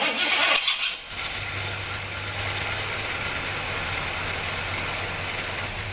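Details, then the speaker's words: Freshly rebuilt Pontiac 400 V8 in a Catalina: catches and settles into a steady idle with a gentle, even lope; sounds healthy and smooth. "got a nice little lope to her."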